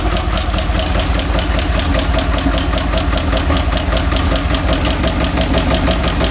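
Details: 1951/52 Buick Super straight-eight, abandoned for 40+ years, idling on restart: a deep, steady thrum with no misses, knocks or stumbles; all eight cylinders are firing evenly.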